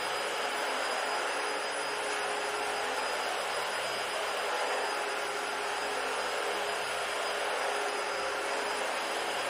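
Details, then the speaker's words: Dyson DC-40 vacuum found in the trash, tested on old carpet; steady even motor roar with a smooth airy rush and a faint suction hiss, no screaming or whining; normal running. "It does have that slight suction like still, but honestly it's not as bad, so I'll take that over screaming and whining."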